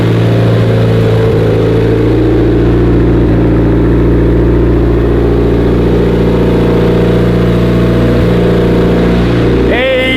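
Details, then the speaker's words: 2016 Subaru STI, fully built 1017 whp, bigger turbo, first start: loud rough uneven idle with open raspy exhaust drone; both wastegates stuck open though they should be closed (springs missing), gate plumbing under question. "I need to figure out what's going on with our gates. Our gates are open, obviously right now. They should be completely closed, but both gates are open."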